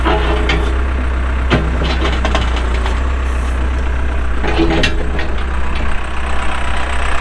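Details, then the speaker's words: 2007 Case 580M Series II backhoe diesel, 3,812 hours, pre-emissions: deep, even rumble holding steady with a few light clicks on top; starts and idles smoothly, hydraulics strong. "starts up and runs good Hydraulics are strong"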